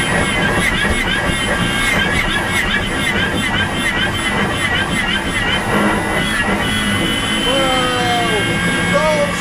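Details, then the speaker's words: BMW E46 converted to electric with a Paul Holmes inverter being tuned: loud raspy motor drone with a high whine, sounding like a motorbike engine, with strong regen; inverter tuning not right yet. "it's making really weird sounds so that's perfectly normal I guess hopefully we're going to drive forward now oh yeah oh yeah wow sounds like I got a motorbike engine in here"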